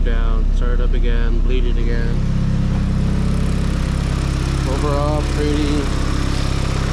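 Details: Nissan S15 SR20 with T28 Garrett turbo after turbo/exhaust manifold gasket replacement for a boost and exhaust leak: steady even idle with a clean rev about two seconds in, no ticking or puffing; leak fixed, normal idle and revving.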